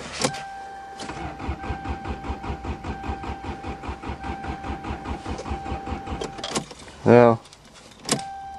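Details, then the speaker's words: Snowbound Subaru in winter, running when parked, cranks in a quick steady chug but never catches, with no fuel pump hum before cranking; owner suspects mice chewed the wires, not confirmed. "since I don't hear the fuel pump I think something happened mice probably chewed the wires too bad piece of [ __ ]"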